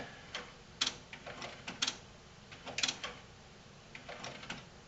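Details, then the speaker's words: Sony HCD-GRX10AV mini system twin cassette deck: sharp uneven plastic clicks about once a second as mechanism cycles, then unit shuts itself off; cassette drive belt has come off, shredded and wrapped around pulley. "the belt for the cassette drive has come off and appears to be all shredded and wrapped around the pulley in there"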